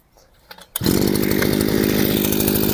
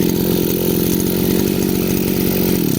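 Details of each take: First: Chinese petrol brushcutter with carburetor mixture screw turned half a turn off its correct setting: starts and runs with flat, strained buzz that never clears; lean mixture chokes it, lacking power and traction. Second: Chinese brush cutter two-stroke after carburettor adjustment: small engine ticks over at a steady, even idle with no hunting or stumbling before cutting off; idle now good.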